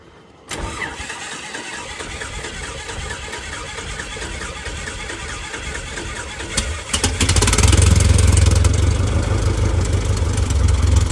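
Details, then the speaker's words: Aircraft engine, first run with a brand-new propeller being checked for vibration; catches cleanly, settles into smooth even idle, then steady prop beat, sounds healthy. "She's sounding good. That baby's chopping air."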